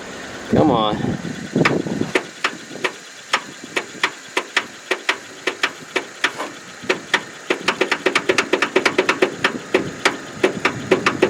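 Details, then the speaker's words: Free riding mower, throttle full, on jumper cables: short starter whir then sharp regular clacks speeding up, never catching; owner suspects stuck, flooded or hydrolocked; rat's nest found, probably under shroud. "Oh something is not right we've got something stuck or flooded or hide you're locked"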